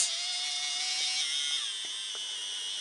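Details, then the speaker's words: Roco HOe starter set 31034 narrow-gauge locomotive, new out of the box, running round the track: high buzzing whine with shifting tones and clicks, jolty starts; runs fine but very noisy drive. "it might not sound healthy this is how it comes out of the box people this is honestly how it comes out of the box with making this much noise it does run when it runs it runs fine but it runs very noisily"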